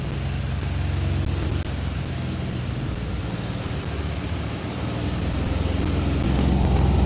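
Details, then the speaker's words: 1986 Chevy C10 with TBI fuel injection, fuel pressure at 15 psi (spec 14-18), injector pulse present: low steady idle rumble that sags and wavers before recovering; stumble at idle, injectors or fuel pressure regulator suspected. "All right, you see it's stumbling. See it's stumbling. See it? It's stumbling."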